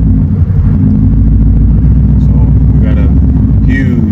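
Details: Coyote V8 Mustang just switched to an E85 tune: deep idle with an uneven, lumpy rumble that never settles; rough idle, owner suspects a large vacuum leak as short-term fuel trims read about 29.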